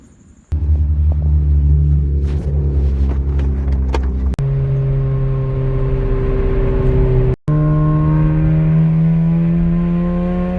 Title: 2011 Honda Accord coupe -K24Z3 *Exhaust Leak* 3rd gear pull